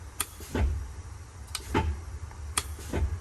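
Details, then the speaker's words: 1971 Peterbilt 352 idling in the cab: sharp clicks each followed by a soft clunk as the transmission air range shift valve switches into high range; valve working normally, valves still to be adjusted. "that's that uh valve working so it is working it's going in high range now which is great"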